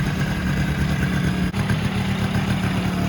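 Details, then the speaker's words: Polaris Sportsman 90 two-stroke some time after a top-end rebuild; steady, even buzz with a smooth low drone and no knocks or misfires, running, idling and starting better, though still hard to cold start without a battery. "So a little update here. It really runs and idles quite a bit better since I finished the rebuild. It starts a decent amount easier."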